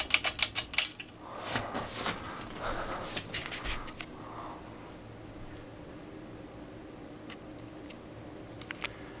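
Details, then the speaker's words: 42-inch Canarm Mystic ceiling fan, early black-motor version, on low speed: after a few clicks, a quiet, even hum with a faint steady whine and no knocking or wobble; it wobbles on high. "alright start the fan on low speed"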